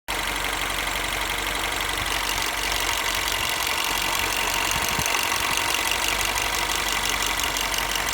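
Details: 2008 Mini Cooper S R56 after a new timing chain, warmed up at idle: fast, uneven light ticking or knocking that fades in and out. Quiet when cold, no noise when accelerating or revving, and performance seems good. Source unclear.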